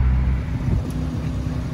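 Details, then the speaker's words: 2015 Fiat 500C Abarth MultiAir after re-priming lost oil prime, light drive: smooth low drone under light load, no ticking from the top end, which had tapped earlier (judged injectors); healthy even run. "yeah really sounds like the top end of the engines really calmed down yeah those are definitely the injectors yeah it's working great"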